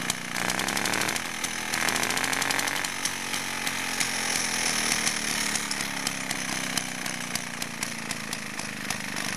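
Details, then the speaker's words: Restored Villiers Mk8C two-stroke motorcycle engine on 16:1 petrol-oil mix, carb just refitted, throttle jammed open with rubber; raspy high buzz at fast idle, slightly uneven beat but steady; runs well, needs carb adjustment. "again to show you I'll film it runs quite well actually"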